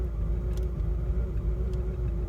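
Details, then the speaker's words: 2006 Cadillac STS Northstar V8, 265,000 miles, just started after a no-crank no-start, charging at 14.1 volts: deep, lumpy idle rumble with an uneven beat and a faint steady hum above, running rough, cause unknown. "wow definitely doesn't sound happy i mean the car served its purpose it's got 265 000 miles on it"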